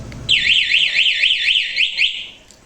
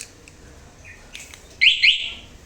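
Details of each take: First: Suzuki Address scooter with an aftermarket anti-theft alarm, ignition key off and alarm armed: a loud, high, warbling siren sweeps up and down for about two seconds; the alarm triggers correctly. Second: Suzuki Address scooter, aftermarket alarm armed with key locked: a light bump immediately sets off a shrill rising-and-falling electronic siren; the alarm is oversensitive, and its durability is judged poor.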